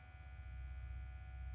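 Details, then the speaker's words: 1997 NEC Versa 6010H laptop floppy drive: steady low hum with a thin, even whirr and no seek or read noises; the motor just spins without engaging, suspected broken or stretched internal belt. "sounds like the most motor's just spinning so it probably has a broken belt or stretched out belt inside of that floppy Drive"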